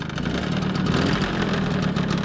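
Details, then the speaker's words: 1987 MBK 51 Magnum two-stroke moped, before renovation, restarts first kick: crisp, even two-stroke burble at steady speed with no misses or rattles; idles cleanly and sounds healthy. "je suis assez content elle a un beau bruit ça bouge à max et la redémarrer au quart de tour"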